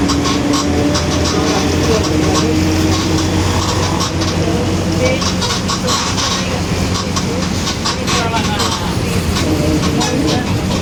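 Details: 2021 Marcopolo Torino S bus on Mercedes-Benz OF-1721 BlueTec 5 chassis, urban service: steady low drone under engine and road rumble while driving, constant hum from the rear axle; differential drone.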